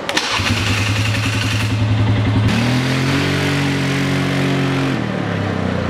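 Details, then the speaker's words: Polaris Sportsman 400 after ECM bypass (fault: fan ran constantly with power off): quick start, settles into even idle, clean rev up and down, no stumbling; drives well and keeps cool. "all right there you guys go Player Sportsman 400 ECM bypass runs the drive is good it's keeping cool"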